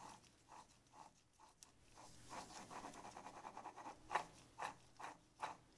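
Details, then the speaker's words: Volvo Penta sea water pump with the housing apart, the bearing turned by hand: a dry, scratchy grinding and rattle from a worn bearing. Shaft seal leaks let water wash out the grease and ruin the bearing; seal and bearing are being replaced. "getting a bit noisy and a lot of times the bearings in these will go because the seal goes bad and the seal lets water go through the bearing and it washes out the lubrication and then the bearings ruined"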